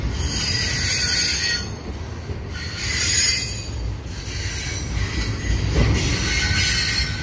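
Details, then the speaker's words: Westbound CPKC 119 double-stack and mixed freight, led by an ES44AC and AC4400CWM with a CN ET44DC as DPU, at night at Sainte-Anne-de-Bellevue: shrill, wavering wheel squeals rise and fade over the rumble of the wagons through the curve. "oh listen to this thing squeal squealing around the corner and it takes the curve under the"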